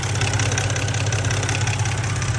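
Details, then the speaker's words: BMW E90 323 petrol engine idling: quick, light ticking over the low engine hum, also present when driving; owner trying a liquid additive. "Yes, the ticking is so annoying, especially when you're driving."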